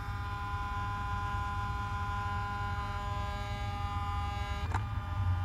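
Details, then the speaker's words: Mercedes S600 W140 with overhauled throttle bodies, ignition on and engine off: driver-side throttle body unit gives a steady electric hum at fixed pitch with a click near the end; normal learning cycle. "so let's just wait driver side unit right here making a nice humming sound learning"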